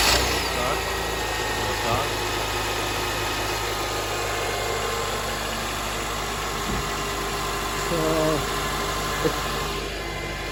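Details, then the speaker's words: Manual 2006 Honda Accord just after starter replacement: engine catches cleanly and settles to an even idle, no starter grinding or overrun; starter engagement sounds healthy. "But a couple times like this, it sounds perfect."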